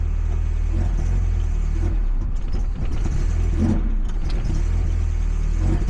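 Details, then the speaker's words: 1990 Mazda Miata (NA), custom intake, engine management set for the injectors but untuned, no wideband, cold start: a deep, uneven, surging idle with lumpy firing. It needs cold-start enrichment or a proper tune. "okay so that either needs cold starter enrichment or an actual tune so I could probably limp it into the shop"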